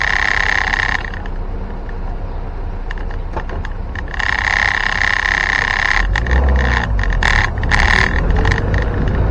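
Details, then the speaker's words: 1961 Land Rover Series 2 109-inch station wagon, fully overhauled, driving: irregular loose rattle about twice a second over road and engine noise; tailgate rattling because its rubber bumpers are too thin, not a defect. "And sorry about the rattling. I'll fix that. Not a defect or something, it's just me. I should have used a thicker rubber bumper."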